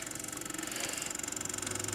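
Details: 1914 Victor Victrola VV-VI #70586-C gramophone, before cleaning: quiet fast even ticking grumble about twenty beats a second under the running motor; dry mainspring coils stick and release, motor runs but needs cleaning and lubricating.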